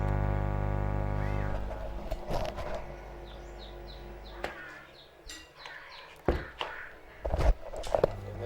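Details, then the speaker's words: Power amplifier hum through the speaker with bass turned to maximum, louder when the AC plug is reversed: steady low mains hum with a buzzy edge, then cuts off; ground loop hum traced to the transformer-body grounding. "Dan ini juga ada suara dengung nya lumayan ketika bassnya kita vulcan kita maksimalkan"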